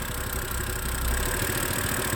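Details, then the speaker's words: 2011 BMW E90 M3 with uneven idle and irregular low thumps. Codes show a cylinder 2 misfire and bank 1 and bank 2 too lean. The broken CV valve was just replaced. "but it says that cylinder number two is misfiring and it also says that um Bank bank one a bank two to lean"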